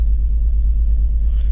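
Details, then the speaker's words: 2004 BMW X3 3.0L idling with a cylinder 1 misfire (P0301, DME codes): deep, uneven rumble with dips and stumbles; live data confirms cylinder 1. "using the OT fix on this one um SM running values there we go cylinder one is definitely misfiring"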